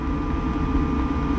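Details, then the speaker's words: Diesel heater on a Jeanneau Merry Fisher 895 boat, heard in the lazarette: a steady fan whirr with faint, even ticks about four a second from the dosing pump, which pulses as it draws diesel from the tank, normal. "ticking noise that's the uh diesel pump there which is ticking and you can put your finger on it you can actually feel it pulsing which is always a good sign because that means the diesel is being piped through from the tank"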